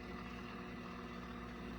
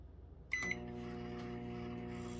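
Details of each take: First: Microwave heating water for 15 seconds: a low, rough, rumbling hum holds steady while it runs; it still heats but makes an abnormal growling noise, cause unclear. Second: Microwave, apparently 900-watt, that had been acting oddly: a short beep, then the cooling fan's low buzz and hum come in and hold level, a normal fan start.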